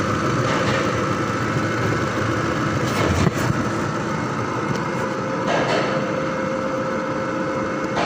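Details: 2005 Ford Expedition V8 after replacing four ignition coils and cleaning spark plugs for misfire: steady even idle with no stumble or uneven beat over road noise; normal idle.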